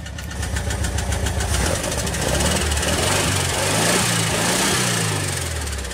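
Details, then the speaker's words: Recently re-ringed air-cooled engine idling slightly unevenly with light fast ticking over the rumble; tappets on one side need lash adjustment, otherwise runs and pulls well. "Les decía a los compañeros, Luis, que hay que calibrar esas punterías de este lado. Está muy ligeramente inestable el motor, pero se oye perfectamente bien."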